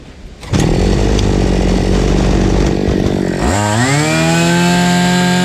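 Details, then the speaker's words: Fubag FPT 52 two-stroke trimmer after fixing severe flooding: fuel screw opened half a turn and idle adjusted. Buzzes at steady idle, then revs cleanly to a smooth, even high pitch; runs fine. "так я не понял, в чём была проблема. Всё рабочее."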